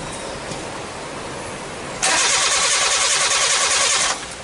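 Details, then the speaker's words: Nissan Sunny Y11 AD wagon after engine swap, intermittent crank no start, code P0335: even starter churning about three and a half beats a second for two seconds, never catches; compression present but no spark. "so I'm getting more compression right but I'm not getting no spot so let me see if it's my sets is problem"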